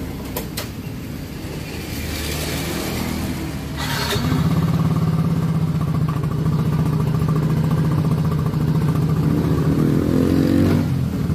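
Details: Yamaha Mio Soul GT that sputtered badly and was hard to start, after replacing the rusted, corroded fuel tank and cleaning the fuel pump filter: engine catches and holds a smooth even drone as revs rise and settle. Normal running.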